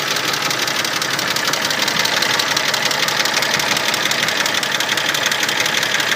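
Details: Mercedes-Benz M104.992 at hot idle: fast, even, light ticking across the whole top end from all 24 hydraulic lifters; quiet when cold; an oil change fixed it.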